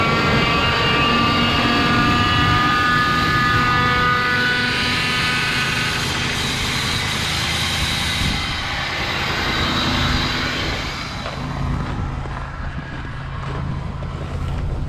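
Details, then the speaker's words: 2003 Ford F150 5.4L King Ranch, cold start at -23°C after sitting a few days. A droning groan from the front of the engine lasts about 10 seconds, then fades. Owner suspects the power steering pump (fluid already changed to Mercon V), or possibly an idler or tensioner pulley. "so did you hear that it was kind of a groaning noise therefore I don't know what would that be maybe 10 seconds after startup like I say it kind of sounds like power steering pump to me"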